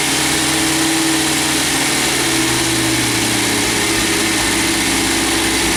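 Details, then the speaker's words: MGB GT first start after head gasket replacement, valves ground and electronic ignition fitted: engine catches and settles into a steady, even idle with no misses or knocks; a large coolant leak is found underneath. "so it does run we've got a massive water leak down here so I'll investigate that"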